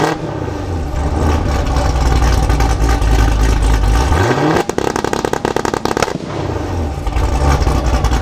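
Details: Modified 2019 Camaro SS V8 (tuned, Stage 3 cam, headers, catless X-pipe, E85, nitrous), two-step set at 2500 rpm: revs climb and hold against the limiter, then a rapid string of sharp exhaust cracks and pops. Healthy two-step launch.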